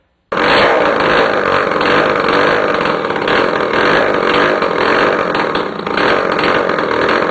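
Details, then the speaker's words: Yamaha CT175 two-stroke, first start in 35+ years after carb cleaning, points, coil check, new plug, makeshift tank; air filter and exhaust removed so mixture is off; loud raspy open-pipe crackle at fast idle, rough but continuous; normal running, exhaust removed. "if I do get it to turn over and start because I don't have the air filter on there so the air fuel mixture is going to be all out of whack and I've taken off the exhaust bite so that's going to be noisy and all kinds of crazy"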